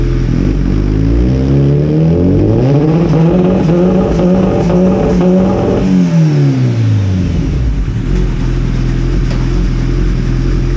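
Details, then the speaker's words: Kawasaki Ninja after fitting a Sprint air filter, fresh spark plugs, a Power Commander and a quick shifter, before a dyno tune: the engine pulls hard with brief, clean cuts at each upshift and no pops. The quick shifter works; minor adjustments are still planned. "That sounds awesome with that quick shifter. Now there's going to be some minor adjustments here and there that I have to make."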